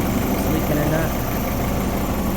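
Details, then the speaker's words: Honda Civic with H22 engine at a steady idle after reassembly and resealing with RTV (KS Tuned oil pan issue): the earlier ticking is gone, no tick over the rumble, and the engine sounds much healthier. "Sounds good. Before you could hear like a ticking, can't hear that no more."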